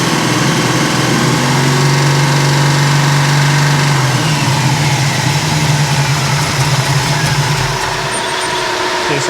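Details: 1971 Chevy Nova big block Chevrolet V8, first run in years, held at about 3,500 rpm with ignition timing set to 38 degrees: deep even roar, no missing or pinging; normal high-rpm running.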